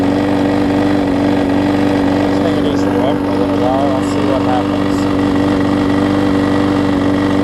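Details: Husqvarna mower with aluminum deck and a transplanted engine, before the carb swap, with the old gummed-up carb, run on starter fluid. A steady mid-pitched drone with an even pulse holds constant speed without surging or dying, so it runs normally.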